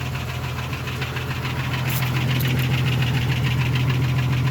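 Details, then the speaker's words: Jeep 4.0L after sitting open for three months: steady idle with a regular tapping knock about 3.5 per second, much quieter than before; source unknown, owner suspects cylinder one missing from its plug wire. "it sat for like three months and now it's it's still got a knock though you can hear it i don't know what it is but it's so much quieter"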